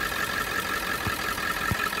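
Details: Ford 7.3 Powerstroke turbo diesel after boost leak repair (leaking hose cut and reclamped, up pipes welded): steady idle, even high turbo whistle over smooth low rumble, no hissing leak; power restored.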